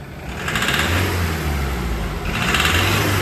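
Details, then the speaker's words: Mazda Skyactiv diesel revved at low and medium revs: irregular hard knock, about three per second; dealership suspected rod knock, owners suspect the injectors, whose pilot learning the ECU cannot complete. "so the car is small in and at low and medium revs it has that knock and the dealership thought it's the rod knock but what we think is that is the injectors"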